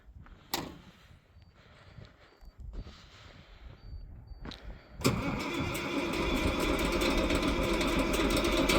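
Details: 1995 International cab-over semi with an 11.1L Detroit Diesel and 10-speed, started cold. Several seconds of faint, halting cranking before it catches and settles into a loud, rough idle. Hard cold start.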